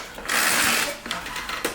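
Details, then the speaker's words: Briggs Touch-N-Mow mower, spring starter wound by pulling the rope with the bail up: ratcheting whir, then a sharp clack kickback at full wind; starter working normally. "that it kicks back that's letting you know it's wound up all the way"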